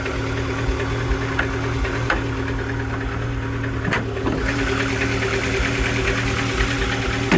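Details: Peugeot Boxer auto sleeper van idling in neutral, hunting and running very rich with fuel smell: uneven, lumpy idle with occasional knocks, sounding like a misfire; cause suspected, not confirmed.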